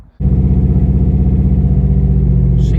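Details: 400,000-mile 1.8T B5 VW Passat, started after sitting a long time with little fuel: the engine catches and settles into a low, uneven, lumpy pulsing idle, running rough, with an audible exhaust leak.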